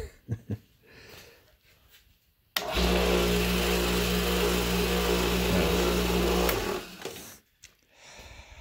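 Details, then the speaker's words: Ironton oilless air compressor started after being knocked over, with a harsh rhythmic chatter about four beats a second that turns rough and then quits abruptly as it blows up; teardown shows a broken connecting rod. "that sounded like it blew up when I was there and it blew up well that's cool it looks bad really bad"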